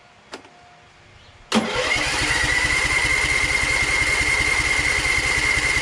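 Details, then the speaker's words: Overhead-valve lawn tractor with 38-inch deck: catches and screams at high steady revs with a thin whine, not dropping even with throttle fully down and choke on; owner suspects governor disconnected; engine overspeed. "All right, I moved the throttle all the way down. It still goes out of control with the choke still on too. It's worrying me a lot. Sounds like the governor is not connected."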